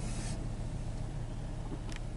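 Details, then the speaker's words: 2013 Ford Mustang V6 Premium, 38,483 miles, no check engine light, heard from inside the cabin: low, soft, even engine hum at idle with no knocks or ticks; very quiet, normal idle. "so it's very quiet at idle it's a very nice place to spend a long commute"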